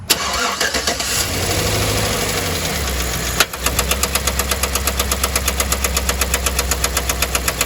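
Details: 2010 Chevrolet Silverado 1500 5.3L V8 with AFM, running rough: cranks then a sharp steady tick about four a second with loud tapping and popping; locked AFM roller lifter, damaged camshaft, AFM delete kit chosen as the fix.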